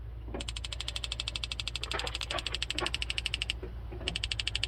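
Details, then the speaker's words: Igniter on a newly installed gas burner in a 2019 Chevy Express 3500 6.0L van, rapid crisp ticking about eight per second with short pause until burner lights; new burner needs working in; normal igniter clicking. "can hear it clicking on now hot that's a little burner this is all brand new it kind of needs to be worked in a little bit so it starts up good"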